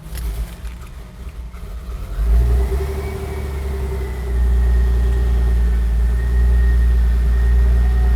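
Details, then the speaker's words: Porsche classic restoration, first start in months after fuel pump primed and oil/fuel pressure built up, timing set: engine catches and settles into a smooth, even low rumble that rises slightly and holds; no misfire, running normally. "Timing's perfect. Once the engine started, it was amazing to hear it purr, that it wasn't misfiring after such an intrusive procedure like that."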